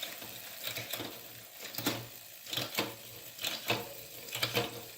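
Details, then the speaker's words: Fuji SL Limited road bike, Shimano Ultegra Di2 12-speed, testing freshly indexed rear shifting: rhythmic swishing scrape about once a second following wheel rotation, brake rubbing, separate from the chain. "There is the brake noise. That's not the chain, that's the brake rubbing, so that's a separate noise."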